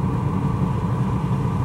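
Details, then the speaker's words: VW California Ocean parking heater warming up, heard under the van: steady low burner rumble with even blower hum, no pulsing or rattles; normal operation. "sad about once you've in the van you can't eat the outside boy just be the fun blowing on the inside once he gets up to temperature this the fan speed slows down"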